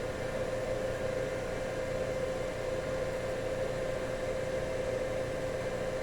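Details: WEG SCA05 servo drive test run after repair: a steady, even mid-pitched hum holding constant with no knocking or grinding; normal servo drive operation.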